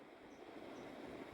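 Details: Split AC indoor unit blower motor after bearing replacement and reassembly: steady even whoosh with no grinding, rattle or rumble, replacing the abnormal motor noise heard before.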